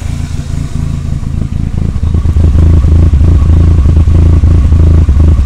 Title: conquest rough idle